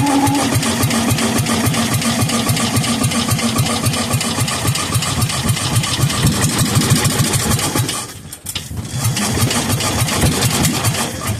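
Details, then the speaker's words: Kohler K241 10 hp engine that sat for years, bottle-fed fuel poured into the carburetor: uneven firing at three to four beats a second that stumbles and nearly dies; catches briefly but won't keep running. "I'm going to fill up the carburetor and see if it'll just run and stay running"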